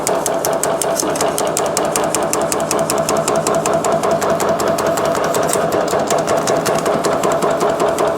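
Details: Metal shrinker on high speed with shrink tooling, working a 16 gauge 3003 H14 aluminum test piece: rapid, even hammering about 2.5 strokes a second over a steady motor hum; cycling normally.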